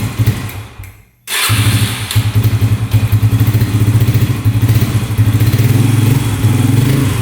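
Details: 2011 Yamaha Raptor 125 with gas cap off to test the tank vent: single cylinder putters unevenly, stumbling and surging; runs better on choke but won't settle to idle. Cause suspected, not confirmed.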